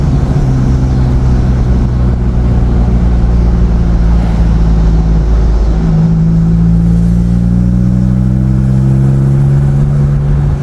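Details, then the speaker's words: 2007 Nissan Xterra after fan clutch replacement: heavy low truck-like drone rising in pitch with revs, still sounds like an 18-wheeler; new fan clutch did not cure the roar, source unknown. "But the car still sounds like an 18-wheeler. Yeah, so this is very disappointing."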